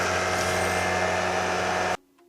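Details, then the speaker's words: PS4 cooling fan roars loudly and steadily with a faint whine as soon as heavy games like Fortnite or Black Ops launch, then goes quiet; it is overheating from heavy dust buildup, with a console-too-hot warning and shutdowns. "طبعا زي ما قلت لكم الالعاب الثقيلة زي فورتنايت وبلاك اوبس اول ما افتحها على طول يطلع لي يبدأ الجهاز يسخن ويطلع صوت جدا عالي. دحين حتشوفوا، شوفوا كيف اول ما شغلت الالعاب هذولا على طول يبدا الصوت ده يطلع لي مره مزعج."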